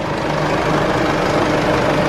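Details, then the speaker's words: Isuzu D-Max diesel after a DIY service including fuel filter replacement and priming: steady, even idle with light regular clatter, no misses, running smoother than before, no fuel or oil leaks. "Sounds nice. There's no drips under there. There's no fuel leaks under there. No oil leaks. Sounds like it's running a whole lot smoother now, which is nice."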